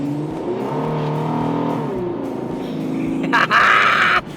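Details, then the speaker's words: Van with a V8 engine with ported and polished heads: it revs up and settles with an uneven, stumbling beat and a brief hissy rush; known vacuum leak plus a recurring random misfire code. "um the I had that vacuum leak and it's definitely still here so he said that we should be able to figure that out and fix that tonight um and I'm also still popping that random misfire code listen to"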